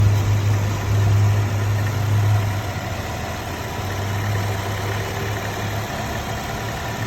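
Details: Nissan Altima 2.5 SV with 75K miles, recently bought from a dealer: low steady idle hum with a faint thin whine above and an uneven rattle underneath from the engine bay; source not identified.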